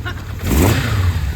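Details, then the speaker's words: Kawasaki Zephyr 750 four-cylinder after replacing the faulty coil pack, starting cold on choke and smoking heavily. It picks up in a quick blip and settles, firing evenly on all four cylinders. Carbs rebuilt; running normally again. "She's a runner. She's smoking like crazy. Sounds chipper."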